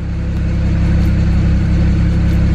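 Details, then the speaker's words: 2008 BMW 335i N54 twin-turbo inline-six, warmed up in closed loop: steady, even exhaust rumble at idle with no misses, surges or ticks; normal idle. "nice and smooth so that makes a problem"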